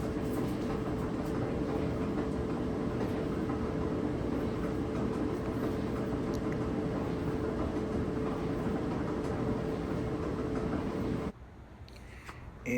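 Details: Dryer before drum roller replacement: steady tumbling rumble with a loose, uneven clatter about three times a second as the drum turns, a wobbling noise from a worn drum roller. Drum roller knocking.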